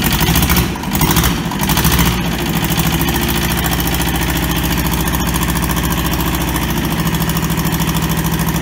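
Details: Toyota SDK4 skid steer diesel, restoration project; rough first two seconds, then even steady idle with regular firing pulses; running normally.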